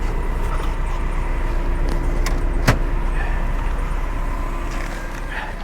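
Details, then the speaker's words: Higher-mileage van with a 2.4 four-cylinder, at idle with the AC running: low, uneven idle pulsing about four times a second with a slight stumble and a few clunks; it runs poorly, cause unknown, coil pack being looked at. "So she's got some miles on her. She doesn't run very well, but it looks like she's got working air conditioning."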